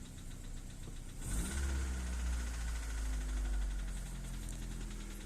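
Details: Daewoo Nexia 1.5 second generation, petrol engine idling after an intake bang while driving; sharp, unevenly spaced knock about three per second over idle, quieter than before; engine knock, cause not pinned down.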